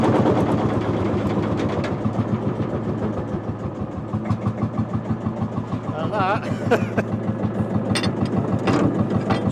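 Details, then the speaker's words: Marshall single-cylinder two-stroke tractor, hand-wound cold start with a glowing heat wick screwed into the front. A slow, heavy thump at about three beats a second settles into an even run once it fires; a healthy start. "and that's how you start a two- St Marshall this is this is why I love Marshalls I they're amazing"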